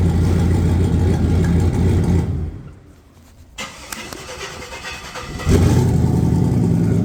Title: vs racing 78/75 billet next gen 2.5. crossover pipe had an exhaust leak but is now fixed